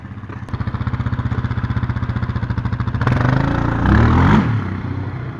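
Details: 2019 Yamaha Raptor 700 on its stock single exhaust, before the Barker's dual exhaust install: even single-cylinder thump at idle, then a couple of throttle blips rising and settling cleanly; healthy.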